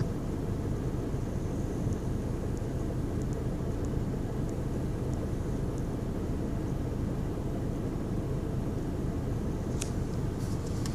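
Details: 2010 VW Golf 1.6 Bluemotion diesel idling on start-up with a low, uneven chugging rumble that lurches instead of running smoothly; rough idle.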